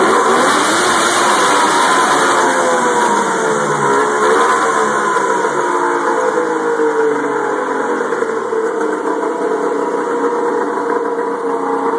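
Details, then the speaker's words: Turbo Indy 650 triple two-stroke with GT1752 turbo, MS3x sequential EFI, Ford MAF and LS1 coils, just completed: idles, then crisp revs climb and fall smoothly with no misfire, coming into boost quickly; sounds healthy. "we'll start up as you can see it a idle all day long Mega s here controlling it all Bluetooth controls grab it up once see we get"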